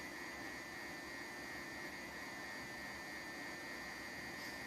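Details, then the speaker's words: Orvaldi INV-12-840W Home UPS under repair (error F05) on test transistors, mains connected, relay clicked, 220 V output, charging battery to about 14.7 V: cooling fan gives a constant high thin whine over soft airy hiss, steady pitch, sounding abnormal. "якось дивно він почав жати коли йде зарядка акумулятора Він чомусь дивно жужить це вентилятор такий звук дивний видає"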